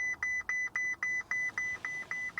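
Steady high beep repeating about four times a second, even and unchanging: the key-left-in-ignition warning chime.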